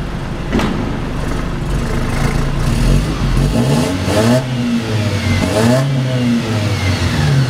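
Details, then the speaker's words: Mercedes W204 after replacing a blocked catalytic converter (the second cat, near the manifold flange): the engine pulls cleanly and smoothly through the gears with no hesitation. The power loss is fixed. "back up and yeah driving the car that fix the problem that there was a problem was a block catalytic converter"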